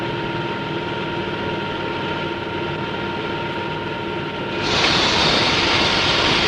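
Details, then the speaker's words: Propeller model in cavitation tunnel at low ambient pressure and constant RPM, cavitation on blade faces and tips: steady whirring tone under constant crackling hiss that swells partway; propeller cavitation. "notice the cavitation on the blade faces as well as in the tip"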